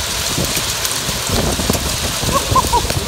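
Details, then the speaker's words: Corn drying system grain bin spreader casting dried corn from the dryer; steady hiss of grain pattering like rain against the bin walls, even and unbroken; normal spreader operation. "you can hear it it's always raining it's hitting the walls because going down in the pilots it's quiet"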